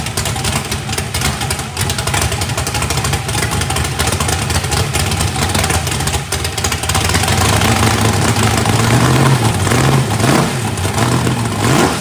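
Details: First fire-up of a freshly built 409ci small-block Chevy race engine, turbo not yet fitted, warming up: lumpy but steady V8 idle, clean blips rising and falling smoothly, no knocks or ticks. Good oil pressure (oil pressure spring shimmed). Normal.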